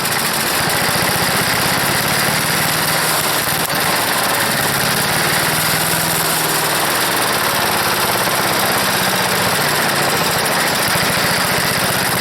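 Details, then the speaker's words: Wood chipper's small single-cylinder engine on full choke at full throttle, no air filter: buzzy steady speed with a slightly ragged, uneven beat; owner suspects a bad float and dirty carburetor. Rough running. "that it sounds like a sputter but boy that's a job pulling it i choked it all the way but it's got a bad uh float i think it's definitely firing it's got a real bad float"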